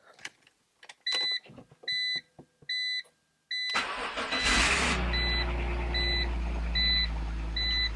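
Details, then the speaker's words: 2003 BMW Z4 E85 first start after oil filter housing gasket, drive belt and pulley replacement and oil top-up: chimes, quick crank, then smooth steady idle with no knocks, squeals or leaks; pulleys rotate nicely, normal start and idle. "running sounds okay let's check for leaks all right so I don't see any leaks those pulley seem to be rotating really nicely no weird sounds"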